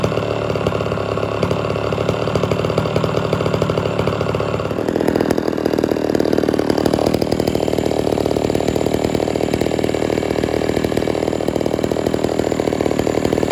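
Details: Homelite Super XL chainsaw, restarted without choke after 15–20 minutes off and tuned slightly rich: a steady buzz that drops and settles into a smooth, even idle; normal idle.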